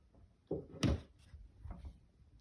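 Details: End-unit apartment bedroom wall with one upstairs neighbor, ongoing two years: few dull thumps and a sharp tick in a quiet room; popping/knocking inside wall persists after maintenance foam-sealed pipes, cause unknown.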